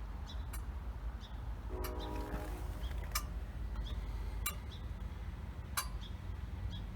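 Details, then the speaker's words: 2005 Ford F-450 6.0 diesel that runs rough and stalls when warm, key-on injector buzz test: eight sharp evenly spaced ticks over low hum, one per injector; all eight injectors and wiring respond normally. "so it's going to run it again and we'll listen for eight clicks one two three four five six seven eight and it runs it one more time just you can hear it again but we know that all eat are good"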